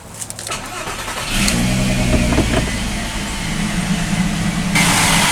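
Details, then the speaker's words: Car started with the front bumper off, just after the coolant was refilled with antifreeze. Cranks and catches, then a steady whirring hangs over the idle from the belt drive. Owner suspects a failing bearing or belt tensioner; unconfirmed. "Sounds like we have a bearing going bad, or a tensioner maybe."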